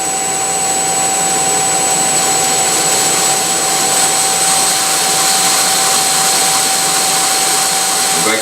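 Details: Three-phase grinder motor, recently rebuilt, run through a Korean variable frequency drive on temporary settings: steady piercing whistle with rushing hiss; owner unsure whether drive setup or motor is at fault.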